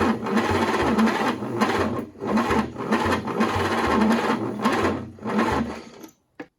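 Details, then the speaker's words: 1940s GMC 270 engine for a 1942 Chevrolet G506, first start attempt in 20+ years, 12 volts to starter, 6 volts to ignition: slow labored cranking with uneven pulses and no catch; old worn-out starter motor. "that starter's old worn out like i said before so 12 volts to the starter 6 volts to the ignition i think we're good"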